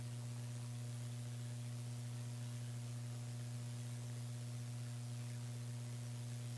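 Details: Mini PC build with Gigabyte RTX 2070 Mini, delidded i7 8086K at 5GHz and HDPLEX 400 power supply: steady low electrical buzz unchanged throughout, fans off, suspected electrical noise from card or power supply, not confirmed.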